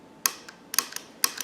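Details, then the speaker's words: Wiper motor from a 1970 Cadillac Sedan DeVille on the bench with nothing running: sharp dry clicks in pairs about every half second; cause undetermined, not heard while running. "it clicking? How come that does that now? When this is running, it doesn't."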